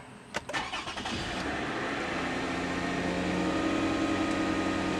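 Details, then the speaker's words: 2007 Toyota Camry XLE, push-button ignition held down so it cranks a little longer than usual: a few seconds of steady starter whir, then it catches cleanly into a smooth, even idle; normal engine start. "so I'm going to go ahead and hold it and it'll crank a little bit longer than usual hopefully you can hear it"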